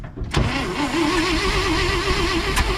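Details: 1970 International Loadstar engine that was once locked up, cranked while grounding through the carburetor; after a short crank it catches and runs unevenly with a wavering pitch, sputtering and weak; rough start.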